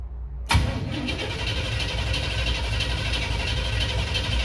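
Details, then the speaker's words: Airboat with Holley Sniper EFI and a distributor: starter turns the engine steadily for about four seconds but it never fires. Owner suspects no spark from his MSD wiring; the box flashed seven times, tied to the cylinder select switch. "something not working sounds like i don't have spark um which could be the way i have the nsd wired in"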